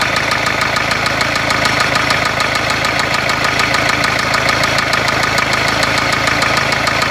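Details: Renault Kangoo 1.5 dCi diesel at idle, described as a blown engine: hard metallic knock hammering steadily at about 200 per minute over a rough idle; serious internal engine knock.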